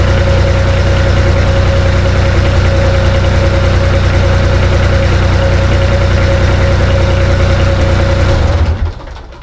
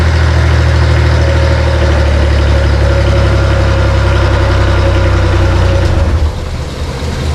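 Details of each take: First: Bomag BMP 8500 compactor diesel: steady single-cylinder chug at even idle for about eight seconds, then clean shutdown; idles smoothly. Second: Bomag BMP 8500 compactor diesel, cold start, after earlier fuel filter change: low uneven idle sags and dies; throttle linkage set too low, needs more throttle to stay running.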